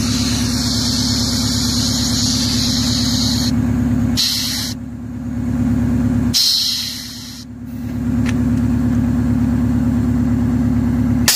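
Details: 1963 GM PD4106 bus diesel idling with air pressure around 30-50 psi. A steady high hiss drops in and out as air leaks from a dash lever valve, which cannot hold pressure; the fix is replacing the valve diaphragm.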